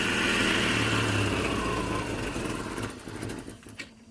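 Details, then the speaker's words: 1989 Jeep Cherokee 4.0L I6 (Renix, AW4) just after installing a new DieHard Platinum AGM battery: engine idles loud and uneven, then tapers down over a few seconds; owner attributes the hunting idle to the computer recalibrating after battery disconnection. "now uh you'll have to excuse the Jeep for sounding like the battery's been disconnected for a couple hours so the computer's got to recalibrate"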